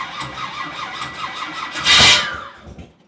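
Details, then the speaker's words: Big-block engine on its first start attempt, fuel pump off: labored cranking at about five turns per second, then one sharp spit before winding down; weak battery, and the starter is suspected of sticking. "let's try it that battery's hurting dog battery charger's ready"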